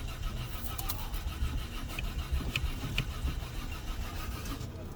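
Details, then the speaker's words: Peugeot 407 V6 cranks but won't start after top cylinder head gasket replacement; starter churns in uneven low pulses, never catches. Scan shows injector codes P0201–P0206, fan running constantly; disconnected intake air temperature sensor suspected, being reconnected to test. "I know why after replacing the top cylinder head gasket the car will crank but we not start"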